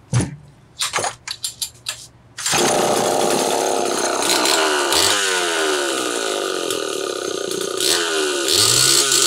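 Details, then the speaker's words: Homelite Super XL chainsaw starts, then pops and stumbles as it revs, cutting in and out at high rpm before a strained scream; weak spark from a failing ignition condenser is suspected. "did you guys hear that popping and banging and everything else there's an ignition problem in this saw and with where it's cutting in and out at the RPM level I'm going to take a wild guess that has got a condenser that's going bad"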